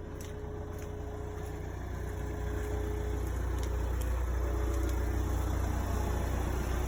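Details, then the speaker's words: Kia Ceed 1.6 CRDi 136 bhp diesel idling, started from silence; steady tonal hum with wavering, dipping pitch from a failing fuel pump, alternator ruled out, pump replaced under warranty. "can't hear from the front of the car i already checked the alternator sure this weird humming pitching was no idea what it is"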